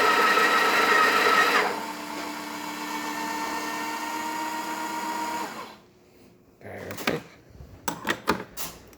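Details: Breville espresso machine that wouldn't build pressure, after OPV adjustment: steady even pump hum through the shot with no rattles or surging, correct extraction pressure; normal pump operation.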